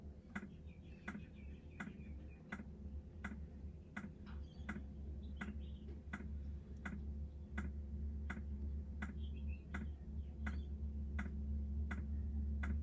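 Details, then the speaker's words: New diesel heater just installed in a Jayco Freedom caravan, heard from outside at start-up with glow plugs heating: crisp, even dosing-pump ticks about twice a second over a low hum; normal fuel pump ticking. "Certainly kicking in. You can hear it ticking away outside, that's for sure. Here, it's ticking away to pump the fuel."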